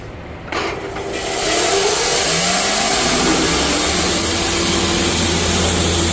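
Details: New grain grinder for cattle feed, bag held over the blower outlet: motor spins up in about a second to a steady, even hum with blower rush; no knocks or rubbing, normal running.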